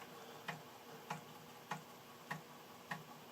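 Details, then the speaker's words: Amiga 600 after about ten years in storage reading a copied game floppy: crisp, evenly spaced ticks about every 0.6 seconds over a quiet background; floppy drive stepping and reading normally. "so let's see if the 600 actually reads that it's just nice to hear the disk drive guide frankly"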